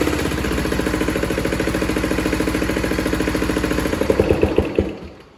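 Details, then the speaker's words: Briggs & Stratton 24 hp Intek twin-cylinder engine on a Craftsman mower running with a dead cylinder. An uneven, lumpy beat with a hard clattering miss: a valve guide has come out of the block, so the valve and rocker arm can't work. "So basically that noise that you heard was a bad valve guide coming out of the engine block and not allowing the valve to do its job and the rocker arm to do its job. So that's why you basically were down a cylinder."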